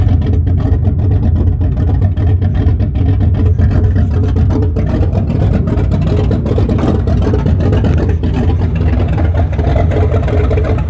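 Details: 1974 Chrysler Newport with a slightly tuned 440 V8, first start after a rebuild with new bearings, open headers, phone-recorded: a deep even rumble that pulls cleanly on revs with no knock or tick; a healthy engine.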